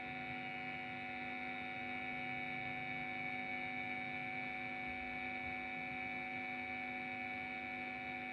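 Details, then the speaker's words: Cheap 9 V guitar effects power adaptor, output 9.28 V, plugged in during noise test, about 42–50 dB on phone meter: constant even hum with stacked steady tones and faint hiss; suspicious mains hum from the adaptor. "Oke. Langsung kita colok. Terdapat suara yang mencurigakan."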